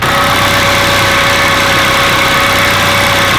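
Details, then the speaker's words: Turbo Honda Civic Si with a brand-new K24 engine and brand-new oil pump, cold idle: a steady mid-pitched whine over an otherwise quiet idle; owner 99% sure it comes from the oil pump, as on his Evo 10 4B11. "I know what that noise is because I've experienced this before on an Evo 10, a 4B11. Even though it's a brand new engine with a brand new oil pump, I'm 99% sure that noise is coming from the oil pump."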